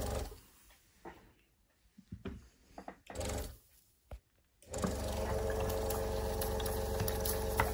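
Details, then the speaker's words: Mamod SP2 steam engine run on compressed air, water in the cylinder: halting puffs, then a fairly even but laboured chuff about four a second; trying but not running freely, water suspected as the cause. "hmm it's trying it's getting a bit closer but I think it's I think I think all the problem is"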